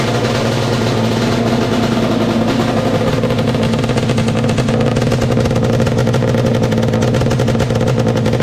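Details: 421cc Yamaha Banshee two-stroke twin with 39 PWK carbs, first run after engine install; crackly, steady, even fast idle on choke, no misses, knocks or rattles; running properly.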